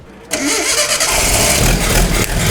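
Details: Datsun pickup truck, Nissan L20 engine, just rebuilt from full disassembly, on first start attempts: it catches abruptly and runs rough with a harsh, crackling roar, spitting back (a little fire) after the distributor was moved; backfire from incorrect ignition timing.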